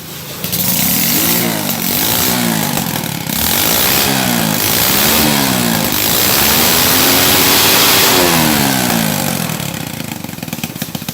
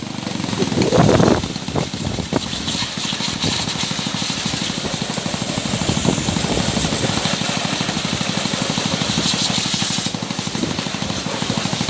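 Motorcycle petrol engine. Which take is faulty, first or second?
second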